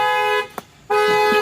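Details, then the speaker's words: 2007 Cadillac Escalade EXT, parked about 2 years with a dead battery and powered from a Noco Boost XL jump box; two loud, steady horn blasts about half a second apart as the alarm sounds on restored power. "Well, the alarm's going off, so it's working."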